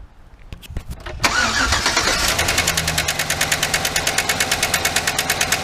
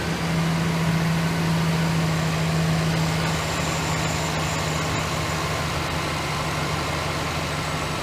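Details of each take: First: 2008 GMC Sierra 1500 5.3 LS (AFM lifters), started with intake off and coil packs tied back: sharp regular tick about three per second over idle; one lifter bad, likely compressed and stuck, not lifting rocker arm enough; collapsed lifter tick. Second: 2008 GMC Sierra 1500 5.3 V8 idling after the failed AFM lifter was replaced: a steady, even, quiet idle with no ticking, much quieter than before. Some oil on the exhaust manifold is smoking. Normal idle.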